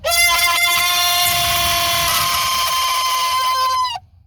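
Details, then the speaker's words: Pontiac WS6 Trans Am blower motor, just reinstalled in the dash: a loud piercing whistle-like squeal at steady pitch for about four seconds, then cuts off. It ran quiet when tested outside the car, and the owner plans to replace it. "Well, I ran it before I put it in and it did not make that noise. So, it's kind of weird."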